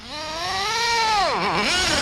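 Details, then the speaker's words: Redcat Earthquake 3.5 nitro RC truck with two-speed gearbox on 30% nitro 10% oil fuel; high buzzy revving then pitch collapses as second gear engages; bogging since purchase, owner says not lean given heavy smoke; bog on upshift. "question is is it gonna balk down when I'm trying to hit second gear because that's what this thing does constantly so let's see oh yeah you heard that I've been having that ever since I bought this truck"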